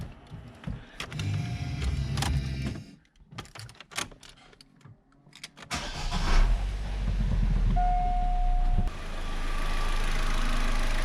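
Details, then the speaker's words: Saturn economy car started right after a service: NGK spark plugs re-gapped from about 28 to the specified 35 and the air duct refitted. Short crank, catches quickly, smooth even idle with no ticks or misses; normal, sounds perfect. "All right, that sounds perfect."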